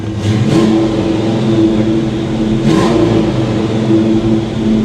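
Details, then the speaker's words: 1989 Ford Mustang Foxbody, manual, first start after fixing its one issue and priming the fuel system, low on fuel: engine catches and runs steady with a couple of clean revs falling back smoothly, no stumble or miss; normal running. "Hey, look. It runs and it didn't die."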